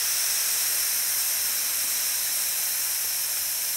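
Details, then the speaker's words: FX Maverick air rifle with dual regulators, bleeding pressure from the first regulator before raising the second from 60 to 150 bar: steady, even high-pitched hiss of venting air, normal bleed-down. "there's no resistance here bleeding pressure and we'll screw it in before we lose a lot of air"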